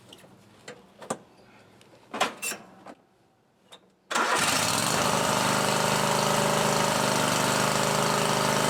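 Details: John Deere 130 lawn tractor after blade replacement and makeshift gas tank fix, deck reinstalled: after rustling, the engine fires up at once and holds a steady, even run with no misses or knocks.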